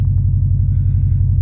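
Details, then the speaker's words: Subaru WRX/STI turbo four, slightly cold, before fitting a blow-off valve, monitored on an Accessport with no knock shown: deep, steady low rumble with even pulses and no knocking or rattling; smooth, healthy cold idle. "so here we are the car's a little cold right now"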